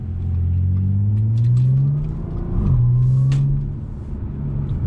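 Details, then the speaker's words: Supercharged Audi with catless downpipes, stock exhaust with the mufflers refitted in place of the muffler delete: smooth engine note rising and falling through the revs, supercharger audible, with the earlier cabin drone gone. "it's nice to hear a bit more of the supercharger because right around right around there was drone city the exhaust is done finally that drone is finally out of here"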